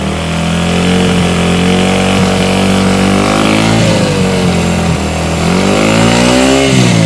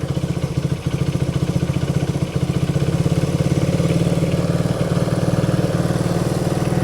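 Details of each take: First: 1971 Honda CB100 single-cylinder, 2,786.6 miles, revived after decades unused and carb cleaning: fires right up and revs cleanly, pitch rising and falling smoothly, no knocks or misses; sounds good. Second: 1971 Honda CB100 single-cylinder, 2,786.6 miles, revived after decades unused: low uneven chugging idle sagging near stalling.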